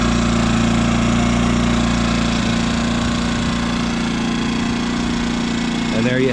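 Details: Brand-new Yamaha EF2200iS inverter generator in eco mode, after the idle screw was turned in to stop stepper-motor surging; a steady, even hum holds one pitch with no hunting. Normal idle.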